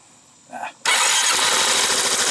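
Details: 2005 Yamaha Majesty YP400 scooter after oil change, kickstand down: brief starter whir, then engine catches at once and settles into an even steady run; clean healthy start.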